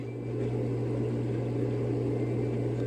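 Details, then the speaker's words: Raypak above-ground pool and spa gas heater after replacing the pressure switch and rollout switch and cleaning: sparks, then fires up into an even low hum and soft steady flame roar with no sputtering or cycling; burner firing normally. "I'm gonna flick it on and we should hear the gas heater fire up. Let's give it a go. Sparking. I just heard it fire up."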